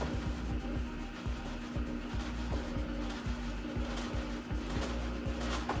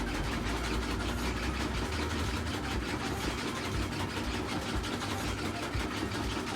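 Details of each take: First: Samsung washer WA48H7400AW/A2 in test spin mode at about 200 rpm: a heavy, uneven thump about every two seconds under the spin hum as the tub bangs the cabinet, worsening with speed. The recommended fix is replacing the four suspension rods. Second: Samsung washer WA48H7400AW/A2 after fix for shaking: steady high-speed spin around 1,030 rpm, whooshing with a low hum and no banging or thumping; still mildly noisy but much better than before.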